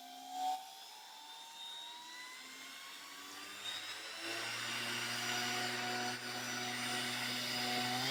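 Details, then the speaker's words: 360 W generic Chinese ER11 CNC spindle, unmounted, ramping from low to high speed: a smooth, clean whine climbing steadily in pitch with no rattle or grind, much quieter than a DeWalt DW660. Healthy spindle. "wow so obviously the chinese spindle is much much quieter"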